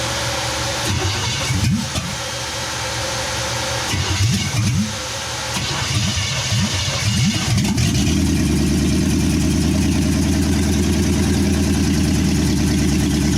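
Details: 1963 Chevy C10 with 355ci V8 (350 bored .030 over), Turbo 350, carbureted, low miles, long unrun, second-ever start after timing adjustment and vacuum-leak fixes: uneven cranking and sputters, then catches and settles into a steady, fairly even idle.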